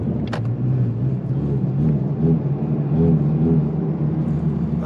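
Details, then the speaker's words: Car driven after a full gallon of Sea Foam added to the fuel, throwing error codes and bucking at light throttle: low engine drone surges and sags unevenly with a stumbling pull; running rough, cause suspected, not confirmed. "so I'm almost home and the car is definitely running a lot worse it it keeps throwing these eror codes um I don't even know what it's doing anymore it just keeps doing this and it's just it's running really weird"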